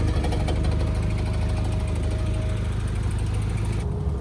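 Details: Mk1 VW Caddy/Rabbit truck not run in 7–8 years, with old fuel partly drained and a new exhaust made: choppy, uneven idle with a hard, rapid chatter of about three beats a second. Rough running, cause unconfirmed.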